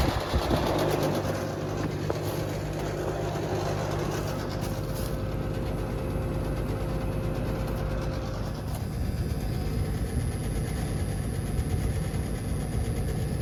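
Even, steady hum with a smooth low drone and no knocks, rattles or squeals; the condenser runs normally.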